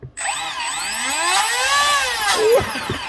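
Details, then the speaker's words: 1:20 scale wooden RC hydroplane, brushless motor and greased wire drive after install, no heat at the drive; smooth whirring spin-up climbing in pitch then easing off, no rattle or grinding, normal. "That sounds good, right? That sounds good."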